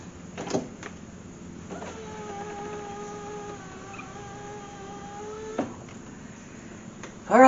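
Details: BMW Z3 (E36) window regulator, after the fix with the door panel still off: about four seconds of smooth, even motor whine as the glass goes up, no binding or grinding. The regulator now works properly.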